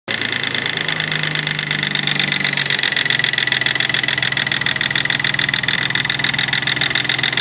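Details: Nissan 300ZX naturally aspirated, revving: harsh fast buzzing rattle that goes away around 1800 rpm and returns around 2500 rpm; unidentified engine noise, cause unknown.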